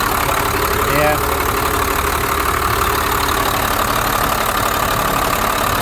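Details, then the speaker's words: 1991 Blue Bird bus, 5.9 2-valve diesel, after replacing fuel lines and bleeding lift pump and injectors, lines tightened though a gasket still leaks: even diesel clatter at idle, steady, no misses or knocks; healthy. "Sounds good, you know. A little 5.9. I got all the lines tightened up."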